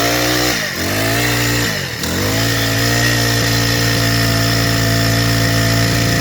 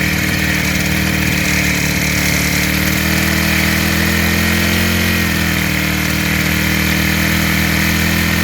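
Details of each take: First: Freshly rebuilt four-stroke engine started after assembly, before tuning; catches, dips twice and bogs before an uneven buzzing run, stumbling and flapping because too much fuel is getting in; rich mixture stumble. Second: Rebuilt small four-stroke engine after carburetor fitted and valves checked, idle mixture tuned by ear: smooth, even idle with steady pitch, no stumbling or shaking; engine settles once fuel mixture is right, running normally.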